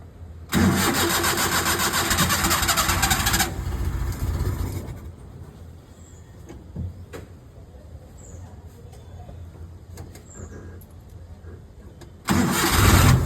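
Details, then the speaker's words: Maruti Omni first start after sitting about 4 years, with new battery, fuel pump, timing belt, water pump and ignition parts: brief crank, then catches and runs with an even idle beat before blipping; clean normal start. "There's a good news. Car has just started. I want to hear the first crank. This is a new battery."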